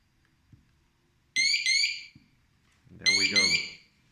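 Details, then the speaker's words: Siterwell GS559A wireless smoke alarms (interconnect up to 30 units): loud high shrill chirps in short bursts, a second unit answering in time; both sound together, interconnect works. "Press it 3 times as well. You will hear a beep. That means it's interconnected."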